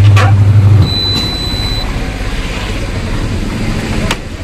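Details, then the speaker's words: Whirlpool top-load washer after a pulsator repair fixing banging and bearing noise and a leak, washing with no load: a low, steady hum as the drum turns evenly with no rattle or grinding. It now sounds healthy. "നമ്മുടെ machine കറങ്ങാൻ തുടങ്ങി. സൗണ്ടുകളൊന്നുമില്ല. ഇപ്പോഴും കറങ്ങിക്കൊണ്ടിരിക്കുകയാണ് machine. വേറെ ഒരിതുമില്ല."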